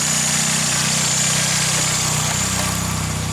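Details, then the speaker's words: Mazda 323 GTX at idle just after fuel pressure was set, not yet driven: even, steady idle with a regular low pulse, no misses or knocks; running smoothly and healthily. "But yeah, you can see she's running nice. Just set the fuel pressure properly, that way once it's on the road I can actually turn her up a little bit."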